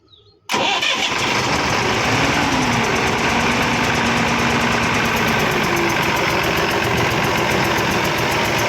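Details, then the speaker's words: Ashok Leyland BS3 diesel truck engine started at idle after the loose manifold nut was tightened: fast, sharp chik-chik puffing from the middle of the engine, about four a second. Found to be a head gasket leak; tappet cover opened next to check rockers and pushrods. "अब मैं करेंगे इसका engine start और इसका यह बीज वाला engine का बीच वाला पार्ट से छिक छिक छिक छिक आवाज आ रहा"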